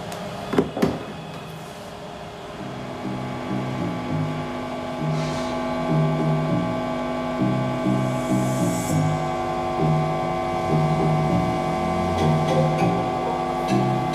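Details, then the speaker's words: Universal 6500DP 500W/650W amplifier under repair for distorted sound; music now plays cleanly but a steady low mains hum drones underneath throughout, a second fault. "कि मैं की आवाज साफ हो रही है लेकिन हम इन बहुत ज्यादा है"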